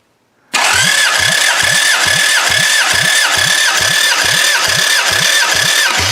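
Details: Bare demolition-derby engine of unknown origin, cranked by the starter during a compression test. Even cranking, about four pulses a second, no stumble or hiss; this cylinder reads 170, healthy compression.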